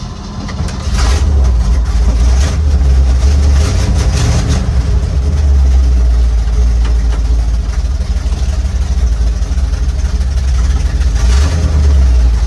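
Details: 1955 Chevy pickup with dump bed and small-block V8, sitting 23 years, now revived and driving on the road, cherry bomb mufflers, sticky gas pedal: deep, throaty rumble swelling and easing with throttle, steady and strong, no misses or knocks; sounds great.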